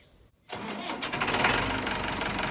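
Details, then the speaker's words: Cold start of a 1964 Massey Ferguson 65 diesel tractor during fluid-change maintenance: near silence, then it fires quickly and settles into an even, clattery idle that steadies as it warms; healthy cold start. "I know y'all love cold starts, so we're gonna fire it up, let her warm up a bit."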